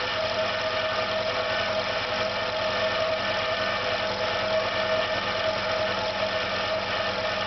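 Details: Failing air compressor on its second start: a steady hum with a throbbing low beat and nagging tone, running unevenly with vibration, then slowing. The pressure stops rising and the motor smells of burnt plastic, so the motor is believed damaged.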